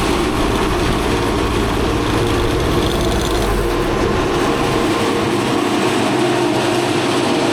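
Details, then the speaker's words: Old Asplundh JEX Chuck n Duck wood chipper, drum engaged, water dripping from greased bearing: heavy continuous rattling roar with no clear rhythm, far too loud though nothing should touch; owner suspects bearings. "You hear all that noise? Wow. I just can't feel comfortable that these bearings are okay with that much noise. You know, nothing's supposed to be touching."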